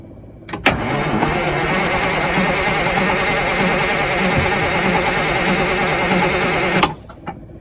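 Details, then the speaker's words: Freshly rebuilt Detroit Diesel 6-71 in GM bus 3751, first-start attempt: fuel system primed, rack held with vise grips, cranking about 5 seconds in the off position. Steady starter churn with even compression pulses, no firing; an auxiliary pump was left running. "Tyler's going to turn it over. I'm going to do it for about 5 seconds in the off position."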